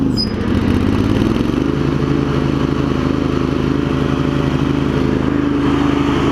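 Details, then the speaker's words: Craftsman garden tractor with Kohler CV20 after carb clean, ignition switch and new primary deck belt, warmed up, blades engaged: steady drone, no surging, faint blade whir, no bearing rumble; healthy deck. "you hear it's not surging or anything once it Finds Its Groove it's good and then we turn the blades"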